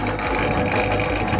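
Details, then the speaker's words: 16 mm bench drill press running: even, steady motor hum with no knocks, grinding or surging, and only a slight body resonance. The motor runs smooth and silent; the noise comes from the body panels, which will be damped. "ternyata ini bodinya yang bikin berisik suaranya itu sangat halus teman-teman benar-benar silent"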